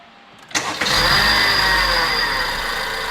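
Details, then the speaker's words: Engine started with a loud, steady, high-pitched howl over the idle, very obvious and loud under throttle, present for a year; traced by removing the belt and spinning the pulley by hand to a failed A/C compressor pulley bearing. "这台车发动机的声音，嗷嗷的叫唤，发动机传出嗷嗷的声音，尤其在加油门的时候，听得非常明显，噪音非常的大。"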